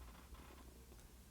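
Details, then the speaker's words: Nikon Z6 with the older F-Mount 24-70mm f/2.8E VR DSLR lens adapted: soft clicky buzzing as the autofocus motor tracks subject moving in and out, quiet room; normal AF motor noise, louder than the silent Z-Mount 24-70mm f/2.8 S. "clicky buzzing sound that's the autofocus motor tracking me as I move in and out the cameras doing a great job the lens is just a bit noisy whereas this lens you don't hear it"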